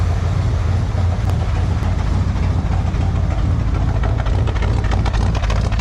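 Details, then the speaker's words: 1978 Chevy C10 V8 with Quadrajet carb on choke, cold start idle, straight-through exhaust with glasspacks, non-mandrel bent: deep uneven burble with occasional sputters sounding like a miss; owner believes it is not a miss but suspects glasspacks/exhaust echo, unsure. "listen not too shabby it's got a little sputter that sounds like a Mist but it's actually it's not it's it's got to be something with uh the way that those glass packs are"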